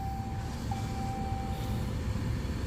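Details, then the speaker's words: 2013 Ram truck blower on high after a plugged AC evaporator was cleaned with chemical cleaner, water flush, air and shop vac: steady low rushing airflow, no rattle or whistle. Air is now felt at the back of the door, where before it barely came out. Normal blower operation. "I know you can't, but that's on high and I can feel the air way back here at the back of the door, which is kosher by me."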